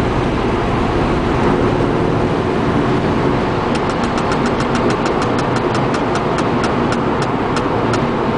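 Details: Crisp, light ticks at about four per second over a quiet cold-engine idle; source unclear, owner suspects the interior fan/heating system.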